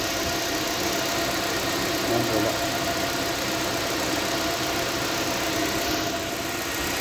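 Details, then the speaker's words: Nissan Sentra at 131,860 km with P0302 cylinder 2 misfire, after replacing a cylinder 2 spark plug missing its electrode tip and clearing codes: steady, even idle with no stumble or skipped beats. Normal idle. "so wala na tayong misfire so Ayos na Ong ating centra wala ng mpire wala ng palag"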